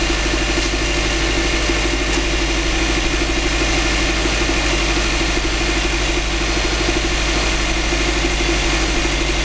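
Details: 2005 Subaru Legacy GT flat-four, first start after a DIY engine rebuild, no leaks seen: steady, even idle with a smooth low burble and no knocks or misses; normal idle.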